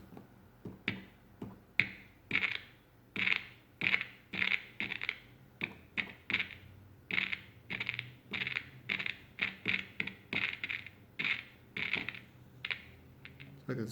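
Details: 1960s Panasonic-made Americana handheld transistor radio: irregular scratchy crackles and dropouts, one or two a second, each time the volume control moves; volume control suspected failing or dirty, not confirmed.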